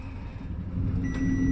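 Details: Minnie Winnie RV generator: the starter churns briefly, then a low steady hum builds and settles with a short electronic beep; the generator starts and runs normally.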